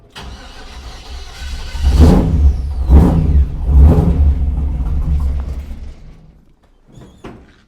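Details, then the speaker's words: 1948 Mercury pickup V8, first start in 50+ years: catches and roars a few seconds on fuel poured down carburetor, then fades and dies; fuel not reaching engine, carburetor suspected gummed up. "We're not getting any fuel. All right, I just poured the last little bit of gas down there. See if we can get it running for a few seconds."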